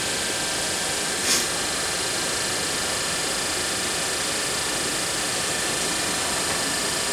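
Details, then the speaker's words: Daewoo Nexia heater blower motor, bench-run on a battery after filing its worn brushes, which had caused lost speed then failure: a smooth, even airy hum with no ticking, scraping or speed changes; it runs cleanly. "О как подул вот как греются провода хорошее потребление"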